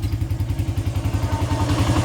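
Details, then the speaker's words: 1994 Honda XR100R unstarted for 17 years, after carburetor repair and replaced idle screw, first kick with no choke in 103°F heat, not yet warmed up: steady thumping idle about nine even beats a second, no misses; normal idle. "That sounds pretty damn good, dude."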